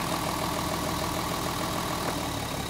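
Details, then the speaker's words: Mercedes 280 SE pulled from storage, missing and shaking, at idle: pulling plug leads one at a time, numbers four, five and six each drop RPM and shake while number two shows no change; idle sags, uneven and lumpy, engine already missing on one cylinder. "once again RPM drop we'll do number five here it drop plug it back in and number six okay that one dropped too look at it shake right there"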